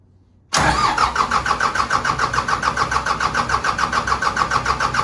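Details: Cummins 4BT diesel in a Power Wagon, first start since 2015, temporary fuel supply, battery and short exhaust, no coolant: starter cranks about 3.5 beats a second, then engine catches and settles into an even, healthy run.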